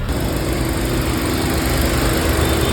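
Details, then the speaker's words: Hyundai petrol/CNG car after misfire code P030400 repair, running on petrol: steady, even idle hum with no misfire stumble, rpm stable. "अभी RPM भी एकदम फ है जैसा चाहिए वैसा हो रहा है इंजन भी एक बार दिखा देता हूं आपको इंजन स्टेबल"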